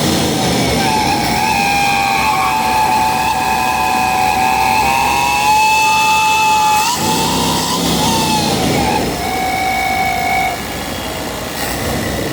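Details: 5.7 Chevy V8 at the throttle body: a steady high whistle rides over the engine and rises with each rev, suggesting an intake air leak near the throttle body; the cause is suspected, not confirmed.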